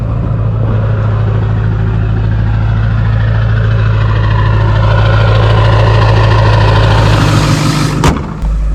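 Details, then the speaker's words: 2002 Ford F350 7.3L diesel after running 30+ miles on 17 gallons of gasoline, refilled with diesel, no check engine light, high idle kicked down: steady idle with an even knock rhythm, no misfire; normal diesel idle. "just idling right now of course as we drive this thing around to the front sounds healthy"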